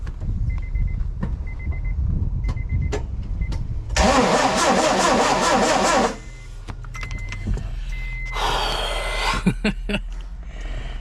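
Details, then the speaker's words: Honda B16 turbo swap in a CRV on Hondata S300, first start: starter cranks, then a harsh metallic grind for about two seconds; owner suspects the pressure plate face rubbing inside the transmission, crank turns freely by hand. "It sounds like the pressure plate like face is rubbing up on the inside of the transmission. That noise that I'm hearing, it's not a nice sound, guys."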